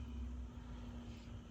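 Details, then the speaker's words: 2009 BMW 328i after water pump and thermostat replacement, electric coolant pump run via scan tool bleed procedure with air in system: steady low hum with even tone and soft rumble, pump spinning smoothly and working normally. "I can hear the pump come on okay I think we're going to just leave it alone for 10 minutes it should cycle through yeah I can hear it"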